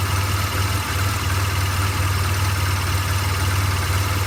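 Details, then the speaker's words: 2008 BMW R1200GS Adventure boxer twin, 26k miles, premium fuel, plugs and valves done at 16k: warm idle with low, uneven lope that rises and sags before dying; owner suspects heat related. "which maybe tells me it's heat related I have no idea"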